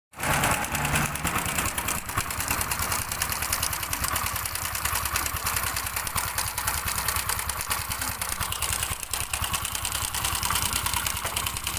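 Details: Honda Wave 110 motorcycle used for parts runs, idling with a fast, dry metallic clatter over the exhaust beat from a slack cam chain; the noise was gone after repair.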